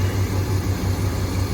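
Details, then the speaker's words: 2001 Dodge Ram 1500 V8 idling after a cold air intake with better filtering replaced the stock plastic airbox; deep even throb with soft intake rush, no miss or knock; normal idle. "with better filtering system. You can actually hear it sucking air through here versus the previous one."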